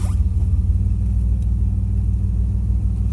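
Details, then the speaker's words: 1997 Camaro 3.8 L V6, slow to start (owner hopes fuel filter and spark plugs will fix it), codes to look up: deep, lumpy low rumble with irregular beat at idle; rough running. "idle smooth when it does start and it sounds pretty decent but it sounds like this [Music] no i don't like that and i have codes that i have to look up"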